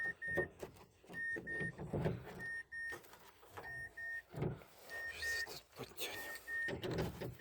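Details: Mazda CX-7 power window after replacing the broken-tooth gear in the motor and its rubber dampers: short bursts of thin even whine starting and stopping cleanly, no grinding or clicking; motor runs freely.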